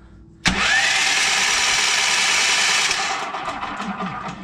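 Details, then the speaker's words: Previously locked-up small engine with electric starter: starter whirs fast and even for about two and a half seconds with no compression chuffs, spinning free; no compression, something possibly broke inside. "that sounds like no compression I make sure the spark plugs on and try it again sound like no compression feels like no compression so maybe something did break in there"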